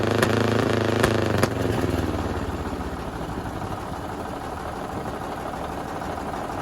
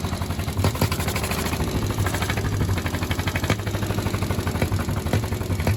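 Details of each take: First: 1951 Caterpillar D8 2U dozer, first run since about 1990 after freeing a seized main engine: starter clatter gives way as the diesel catches and settles into a steady low chug, about four beats a second, running on its own power. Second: 1951 Caterpillar D8 2U diesel, sat in a barn since about 1990 and previously stuck, chuffs heavily and slowly as the pony motor turns it over on its first start attempt, but it never catches: cranks, no start.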